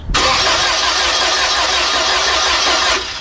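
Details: VW engine on gasoline vapor feed: about three seconds hard cranking, ragged uneven firing that never catches; unsealed valve leaking on vapor intake.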